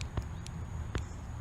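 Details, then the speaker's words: Fuel injector removed from a V8 swapped into an E46, bench-tested with a 9-volt battery: a few faint irregular soft clicks over a low hum, too weak, so the injector is still sticking; to be freed with cleaner and degreaser. "now this one just started to free itself up see how it's kind of making a little click"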